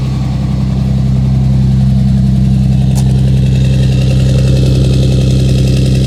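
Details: 2007 Dodge Ram 5.9 Cummins diesel, loud clatter at rough idle with a lumpy, uneven beat about three pulses a second; began a month ago, intermittent fuel rail pressure, MAP sensor and overboost codes; owner asks about excessive blow-by; cause unclear.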